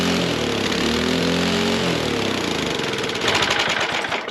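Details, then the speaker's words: 1968 Ariens Sno-Thro snow blower engine, revived after 20+ years abandoned: speed hunts and swings unevenly, breaking into ragged pops; clear governor problem. "right, that clearly has a governor problem. Let's address that."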